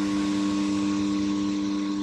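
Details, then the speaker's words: Snap-on workshop battery charger after fitting new-style rectifier diodes: a constant, clear, steady electrical hum with no buzzing or rattle; much quieter and less vibration than before; normal transformer hum. "that is so much quieter than it was that is amazing"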